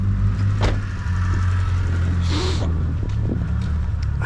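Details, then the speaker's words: 1980s Nissan Silvia S12, 1.8 L turbo SOHC, immobilised about 30 years, first start on a charged battery, alternator not charging (7 V): steady, loud low rumble with no clear ticking, noisier than expected; owner suspects an exhaust leak. "je la trouve un poil bruillante on dirait une fuite à l'échappement faudra regarder ça aussi"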